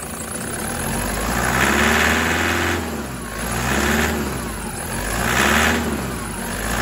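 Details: 2008 Prado 120, brand-new 1KD diesel with new injectors, stone cold around 7°C: clatter louder with each of three rev rises, easing as revs drop; normal cold knock for pre-late-injector 1KD, diagnostics excellent.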